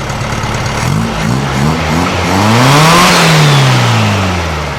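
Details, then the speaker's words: Open-pipe flat-four of a 1956 VW Beetle with a 009 distributor, after rewiring, a fixed spark plug cap and retiming, gives loose, uneven blips that stumble before revs climb; it revs fine choked, so the mixture is still too lean. "It revs up fine when I choke it. That means it's still running too lean."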